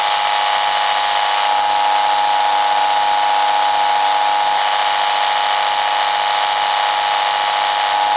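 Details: Mains noise heard through a speaker held over the microphone, with an iFi AC iPurifier mains filter in use: steady, unbroken hiss with a thin whistle near 800 Hz that never changes; the filter made little difference.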